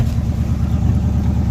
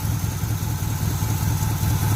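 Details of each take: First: 1980 Chevy K10 just restarted cold after new starter, tank cleaning and fuel filter: deep, steady V8 burble held high on the choke's fast idle, which should drop once it builds heat; normal cold fast idle. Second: 1980 Chevy K10 V8 with new starter, gas tank removed: lumps along at a loose, uneven idle for a few seconds on carburetor bowl fuel, then fades and dies as the bowl runs dry.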